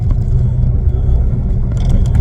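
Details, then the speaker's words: Skoda Felicia Fun Rat Rod driving over a pothole after replacing the bouncy coilovers with heavy-duty springs and cutting the arches. Only low road rumble and tyre roar with no creaks, clunks or rubbing; all the earlier creaking is gone. "Ah, I've cured every bang and rattle and scrape and crunch in this vehicle now. It's all fixed. All the creaking's"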